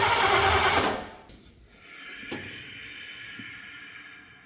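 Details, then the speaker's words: C30 truck engine on its first start attempt, using ignition parts taken from another truck. A loud whooshing pop and then a sharper pop backfire through the carb/intake; ignition timing is 180° out, and the distributor was then spun. "oh we're coming back through the take a little bit I hope we're not 180 out we might be we'll know here in a second"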